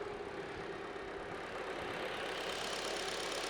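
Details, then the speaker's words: 2018 Hyundai Elantra GL 2.0L NU petrol engine after timing chain, guides, tensioner and VVT solenoid replacement: smooth, even idle with only typical light injector tick and no chain rattle; normal idle. "Anyway, she's running pretty darn good. Uh no chain rattle. I hear the typical of the injectors and all the stuff that you normally hear. She's running very smooth."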